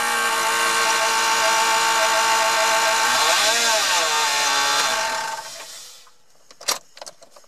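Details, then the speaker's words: Chrysler 318 (5.2 L) V8 idling after oil pump, oil pan gasket and starter replacement: harsh steady metallic scraping from between engine and transmission, the flex plate rubbing a bent inspection cover plate. "so I suspect either a cracked flex plate or perhaps the flex plate is colliding with the inspection cover"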